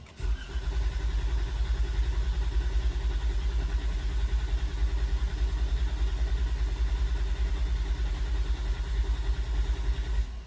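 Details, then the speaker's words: 2016 Chrysler 200 Pentastar V6, sudden no-start after sitting parked over a weekend: starter cranks steadily but never fires, and no fuel pump hum in run position; owner suspects a dead fuel pump, later replaced. "when you put your car in a run position you're supposed to hear the fuel pump running and there's a little uh audible hum that you can hear if you're listening very carefully I don't hear it on mine so I'm really hoping it's the fuel pump"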